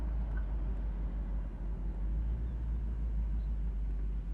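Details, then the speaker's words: 1968 Chevrolet Camaro convertible V8 idling at a traffic light, temperature at 180, tach steady: very quiet steady low rumble with no misses, surges, sputtering or tapping; normal idle. "So again, here we are at a traffic light. You can barely hear the car running. It idles very nicely."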